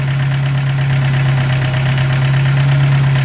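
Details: 2.3–2.5 Ford Ranger, about 4,000 miles since build, restarted after sticky-lifter repair: steady idle with a light, quick tick, much quieter than before but still present, on the driver side; owner suspects a noisy injector, unconfirmed.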